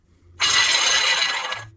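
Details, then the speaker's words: Removed factory Chrysler water pump on a car that had been losing coolant through a drip and losing cabin heat: a short gritty, rattling grind as it is spun by hand, with the shaft loose due to a worn bearing; to be replaced with a Gates pump. "And you can hear it. Listen to that. That bearing is toast in"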